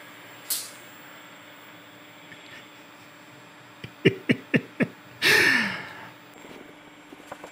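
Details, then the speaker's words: Robot arm fitted with a plasma torch, sticking and then a scratching sound, gives five sharp clicks at about five a second then a short hiss; owner suspects a new zip tie is clipping the limit switch. "I'm sure you can hear that clicking noise. Oh gosh. Just when I thought I was ready to start programming."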